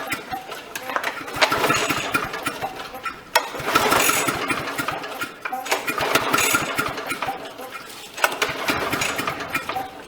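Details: Briggs & Stratton lawnmower engine, sat a long time, spark plug cleaned and refitted: repeated pull-cord cranking bursts every couple of seconds, turns over but never catches; cranks but won't start.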